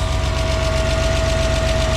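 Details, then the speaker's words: BMW E34 Touring, M50B20TU engine dry about 2 years, first start after an oil pan replacement and 6 litres of fresh oil: an uneven idle with a regular knock over a low thump, a weird sound; the oil light went out. "Wow it runs yeah okay that's a weird sound but let me see"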